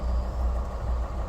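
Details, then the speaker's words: 2022 MG RX8 that would not crank after an accident (airbag light on, safe mode); after seatbelts replaced and airbag control unit reprogrammed and refitted, it starts, airbag light off; steady even low idle hum, no misses, knocks or ticks. "بعد بعد بعد المعالجه السياره اشتغلت احلى ما يكون ولمبه الايرباك طفت نظام الله"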